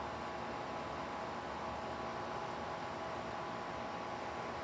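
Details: Ruud WA14 air conditioner with scroll compressor, fan motor replaced July or August 2022, recorded at 67°: even quiet airflow hiss with faint steady hum, no knocks or rattles; quieter than another noisy WA14 unit, running normally.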